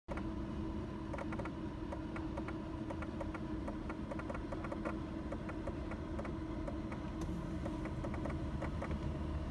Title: W124 Strange noise from the AC fan motor?